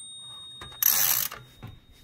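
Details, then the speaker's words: Toshiba BW-3112 Japanese kanji typewriter during restoration: sharp bell ring over light mechanical clicks as carriage reaches the margin stop, which slots over to clear the tab, so carriage is not stopped; no line lock. "you will realize that it actually slots over in order to clear the tab so you basically only get a bell trip"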